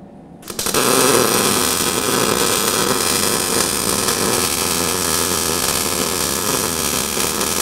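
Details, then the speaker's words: Eastwood MIG 175, beginner after correcting to a more vertical torch angle and a closer distance. Even, steady crackling sizzle with no pops or sputter produces a straight, steady MIG bead. "all right awesome hey it's straight see the difference just as two a few little tweaks you made yeah good job"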